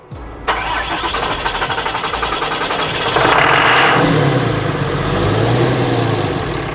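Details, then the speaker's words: 2018 Dodge Ram diesel with suspected fuel contamination: starter grinds the engine over with uneven pulses near 160 a minute, then it catches roughly; slow hard start, no weird mechanical noises. Fuel system issue suspected, not confirmed. "Yeah, okay. It probably is a fuel system issue."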